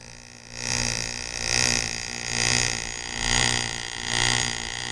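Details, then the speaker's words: Driveline demonstration model driven by a constant-speed electric motor, yokes 90° out of phase with exaggerated angles, card held to the third shaft's sprocket: the whirr swells and fades as the shaft speeds up and slows down, causing vibration at high RPM. "The speed of the third shaft varies even more than the second. This is an outofphase condition. At high RPM, the varied speed of the third shaft will show up as vibration."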